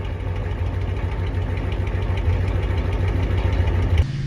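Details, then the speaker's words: Ford 6.9/7.3 IDI diesel pickup, warm weather around 70°F: catches quickly and settles into an even clattering idle, steady beat, no stumbling or misfire before shutoff. A normal healthy start. "However, it should light off basically like it's not even doing a cold start whenever it's, you know, 60° plus."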